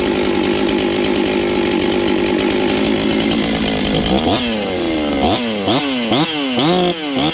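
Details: Rebuilt Husqvarna 266XP chainsaw with a new top end installed, on its first run with final carb settings not yet done. It idles unevenly, and blips hesitate and climb sluggishly before revving out, lazy off the bottom from the untuned carb.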